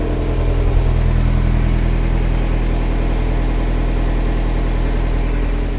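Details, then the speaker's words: Restored Mazda MX-5 on a cold morning: uneven, lumpy petrol idle with a rhythmic stumble, running on three cylinders; owner plans to change the bonding lead and try a coil pack. "I'll let you have a listen to it and you'll see exactly what I mean it's really rolling on three"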